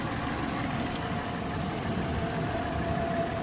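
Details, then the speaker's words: 2010 Toyota 4Runner idling during pre-purchase inspection, hood open at the front: steady, even hum with a smooth low drone and faint whine, no knocks or misses; engine sounds very smooth, no smoke or drips. "there are no exhaust leak so sounds good in the back the smoke is in a normal color um at the front engine sounds very smooth"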